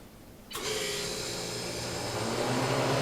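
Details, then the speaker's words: Large Harvest Right freeze dryer in functional testing mode, freeze toggled on: refrigeration condenser starts with a sudden steady low hum and even rushing hiss like a household fridge; compressor running normally. "Voila! Sounds like a refrigerator. Not half bad."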